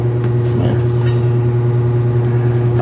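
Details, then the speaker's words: Hanabishi fully automatic washing machine motor, removed and spun freely, noisy when spinning: steady low hum with hard droning tone over rough rushing noise; worn motor bearing, front or rear, to be replaced. "Ay bearing either dito sa likod o dito sa harapan niya kaya babaklasin natin at Papalitan natin"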